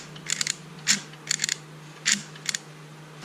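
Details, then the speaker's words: 2004 Chevy Avalanche passenger door lock actuator, removed old unit tested on the bench: short bursts of gritty, crunchy clicking over a faint hum as the motor runs, gears crunching inside; actuator judged done and replaced. "Kind of works, but inside that motor you can hear some crunching for sure."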